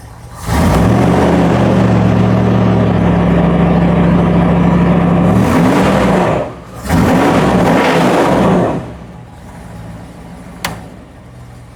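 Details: 1988 Ford F350 with 460 big block and MSD Atomic EFI, after upgrading to a 200-amp one-wire alternator: steady, even V8 idle with a smooth low hum and no knocks or squeals; voltage climbs from 12.2 to over 14 V.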